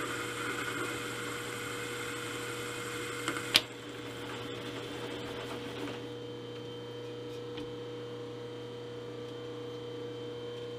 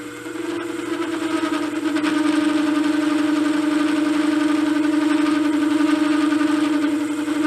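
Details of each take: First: 3-inch R8-shank rough boring head with indexable bar, repaired after arriving with major faults, taking a 40-thou-deep cut over multiple passes: steady motor hum and smooth, even cutting with no chatter. The boring cut is normal. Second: Cheap 3" R8-shank rough boring head with indexable boring bar, under review: ringing chatter with buzzing edge on a deep cut, tool slightly loose; chatter tends to loosen the tool, and disappears once in heavy cut.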